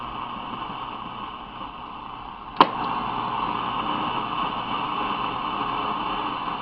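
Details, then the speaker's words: Restored Zenith Transoceanic shortwave radio on about the 19 m band, selenium rectifier replaced, 105 V measured, not overheating; steady even band static hiss with one brief click, showing the oscillator is running normally. "if the OS layer wasn't running you would hear no background noise"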